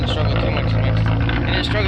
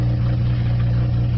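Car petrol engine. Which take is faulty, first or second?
second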